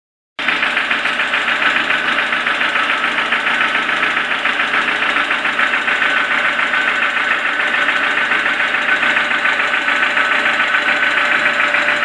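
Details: Toyota 4E-FE engine at steady idle with a sharp metallic knock about three to four times a second; engine has started knocking, cause unknown.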